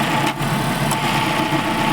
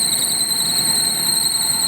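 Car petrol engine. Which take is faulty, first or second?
second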